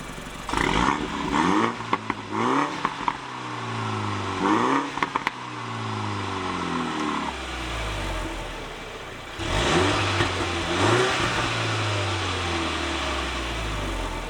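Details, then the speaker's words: Flood-damaged F56 Mini John Cooper Works after an engine swap, with a John Cooper Works Pro exhaust fitted: sharp throttle blips with a deep open bark and a few crackles as the exhaust valve opens; normal exhaust, valve working. "You can hear a valve open now. So, just try that open."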